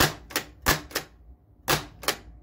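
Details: Harlem Globetrotters pinball flippers tested after the flipper wiring was un-hacked and tidied at the end-of-stroke switches. Six sharp clacks in irregular pairs, each crisp and full with no buzz or weak stroke: flipper coils firing properly.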